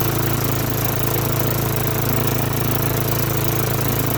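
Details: Lawn-Boy mower with Tecumseh 4.5 hp four-stroke, sat 20+ years, on slow throttle: single cylinder putters at an even low idle around three beats a second, no misses or knocks; running fine.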